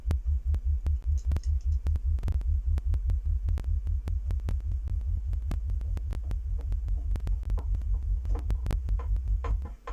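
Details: Speaker after fixing a rattle from a loose ferrite core in one crossover, the other crossover also done; low bass test tone pulsing evenly about two and a half beats per second, no buzz or rattle, the speaker is sound.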